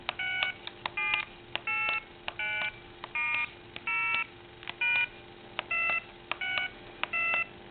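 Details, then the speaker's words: AT&T 5.8 MHz cordless telephone handset switched on and dialed: keypad tones beep about every three-quarters of a second while the steady dial tone continues underneath. The phone fails to break dial tone when dialing, and the base unit does the same. "let's turn it on and you can probably hear dial tone but when you go to dial the number you can still hear dial"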